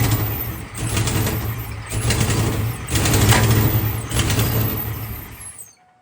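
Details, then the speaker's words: Procharged 1996 Ford Mustang GT V8, abandoned project car with EGR ports open: loud raspy running with deep uneven chuffing surges about once a second before shutoff; exhaust leak from header rusted out on the bottom side. "And the header is rusted out on the bottom side. So it's going to be very loud. It's not going to sound good, but I at least would like to see if the engine runs better."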